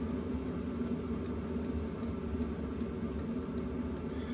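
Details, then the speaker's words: Diesel heater switched off: even fan whir with faint regular ticks about every half second as its controller slowly shuts it down through a normal cool-down. "It'll start it the computer inside will will shut it down. Slowly shut it down."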